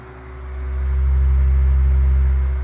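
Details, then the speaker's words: Tatung 12-inch LC-12 oscillating fan, likely 1980s, on high speed: steady low hum with its distinct motor whirr, no ticking or rubbing; otherwise quiet, running normally. "but here's hi so it has that really distinct whirring sound"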